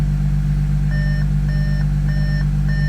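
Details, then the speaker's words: 2014 Audi SQ5 3.0 TDI turbo diesel, very high kilometres, towed in with crank no-start, now repaired: first start steady even idle, no knocks or misses, dash chime pinging every second and a half; idling well. "Oh, beautiful. First go. That is fantastic. And it sounds like it's idling very well at the moment."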